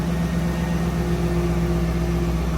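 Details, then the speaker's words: 2002 Pontiac Trans Am WS6 V8, almost 200,000 miles, after replacing a worn spark plug to cure a misfire: smooth, even idle with steady low hum, no misfires on cylinders checked; normal idle. "Yeah, no, it sounds fine. 5. That's 4 and 5. No misfires."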